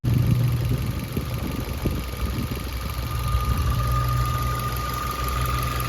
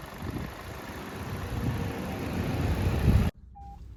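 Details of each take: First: 2021 Maruti Ignis petrol, about 20,000 km, idling with the bonnet open before repair: a steady thin whine over an even idle, louder in the engine bay. The cause was a failing water pump bearing, later located by stethoscope and fixed by replacing the pump. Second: 2021 Maruti Ignis petrol, about 20,000 km, idling after water pump replacement and coolant refill: a steady, even low hum for about three seconds with no whine or knock. The abnormal noise is gone.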